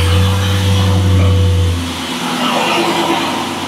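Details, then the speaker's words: LS-swapped 1986 Monte Carlo SS V8 rumbles into a deep, steady, even idle through a very loud exhaust with no misses or knocks. The check engine light is off; it runs healthy. "all you got to do is hear this hear this VA Rumble and be ready to go"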